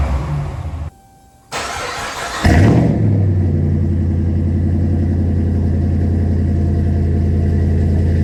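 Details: 2009 Dodge Ram 1500 V8 after short headers, catless Flowmaster exhaust and Rough Country intake fitted to cure Dodge tick, O2 sensors reconnected: starter cranks, catches with quick rev, settles to deep even idle, no tick; normal.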